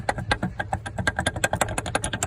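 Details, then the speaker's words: Toyota RAV4 driveshaft checked from underneath at the rear; the shaft is rocked by hand, giving quick uneven metallic clicks about eight a second from a worn u-joint with play; owner reports vibrations at 65 mph. "if you have any play in the uh u-joints you got a problem you're going to have vibrations"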